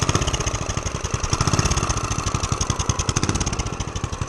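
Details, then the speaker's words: Homemade turbocharged single-cylinder pit bike, warmed up, choke off and no throttle, after fixing leaks and replacing bolts: steady, even thumping idle with no missed beats. "You got to give it a little bit of throttle for now, but once it warms up, like right now, there's no throttle at all. It's just running."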